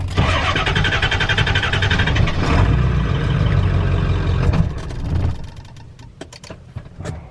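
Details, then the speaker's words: Diesel truck with relay clicking and glow plug light on: steady starter churn about four beats a second for several seconds, stopping without catching; won't start, owner pulls and reinserts a fuse that doesn't look blown; water-in-fuel light also on. "It won't start with the glow plug light on, man. I literally have to pull this fuse."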